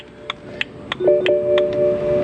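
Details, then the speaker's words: BMW E92 325 six-speed manual coupe after instrument cluster repair (needles removed): crisp, even indicator clicks about three per second over faint background tones; indicator sounder now working properly. "And the main thing we wanted to actually fix, which is good to know I haven't damaged anything else, is do we get an indicator beep? We do!"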